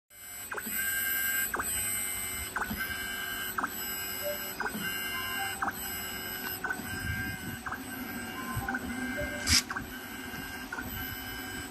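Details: Yaskawa SGMGV-75ADC61 servo motor on a test run after repair of Alarm 840, with encoder and bearing replaced: a steady, light mechanical whir with faint even ticks every couple of seconds and no grinding. It runs cleanly.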